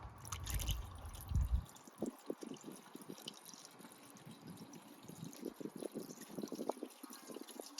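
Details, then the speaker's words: Toyota "Big Willy" engine off, refilling with water after thermostat replacement with sealant gasket: irregular dripping and trickling as water pours out around thermostat housing; owner suspects the new thermostat's seal may be thicker. "It sounds like it's peeing out. It's peeing out. That's even worse."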